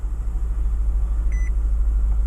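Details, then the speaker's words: 2015 Nissan Altima, salvage rebuild, 75,339 miles, check engine light on with a P0328 knock sensor code among others: a low, steady engine rumble with one short chime, no misses or knocks. Normal idle. "starts fine runs good"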